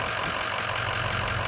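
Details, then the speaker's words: 2006 Ford F-350 6.0 diesel, just after replacing pitch-black, restrictive fuel filters: steady, even diesel clatter at idle with no misses or stumbles while checked for leaks; the engine idles normally. "so on this one i'm gonna start it up all right now that it's running let's uh go check for leaks"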